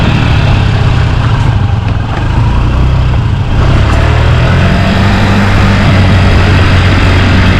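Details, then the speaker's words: 49cc Honda Scoopy (Metropolitan) scooter revived from non-running after about a decade, full service done: first ride, engine hums steadily with a smooth, even beat and no knocks or rattles; normal running. "first ride in possibly a whole decade. Look at it go. What a little ripper."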